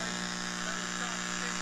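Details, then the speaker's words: 1946 Aviola 509 radio after recap, raised to 115 volts at about 280 mA: loud steady buzzing hum with rich low drone, unchanging; cause unclear, fluorescent light possibly involved. "okay let's bring this up to 90 I'm sorry runners and 15 is like a terrible hum going there"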